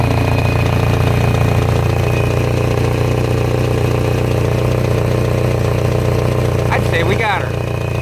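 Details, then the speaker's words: 2000 Kia Sephia, just reassembled after timing belt replacement and test run a few times: steady idle with fast regular ticking about four per second and a puffing chuff, lifter tick plus an exhaust leak at the front. "I've already test run this thing a couple of times and aside from an exhaust leak up on the front the moment of truth"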